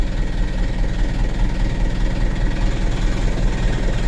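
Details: 2021 Mitsubishi Canter 136 PS HDL diesel truck, 78,000 km, idle rpm lowered: very low, lumpy, uneven idle jerking about 98 times a minute before revs drop; rough unstable idle, minor engine fault.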